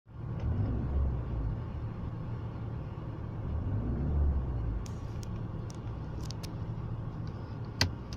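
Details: BMW E36 with M43B18 four-cylinder at idle: a low rumble that swells and sags unevenly; rough idle, intermittent (sometimes fine for a month, sometimes changes with every gear shift), cause unknown.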